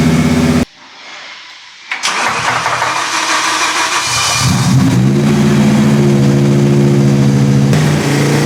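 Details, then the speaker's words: V10-swapped BMW E46 M3 after new earth straps and water pipes: cranks, catches and revs, then settles to a lumpy, uneven idle; still misfiring, believed to be two cylinders down. "Yeah, we're working. Yeah, I think we're still 2 cylinders down."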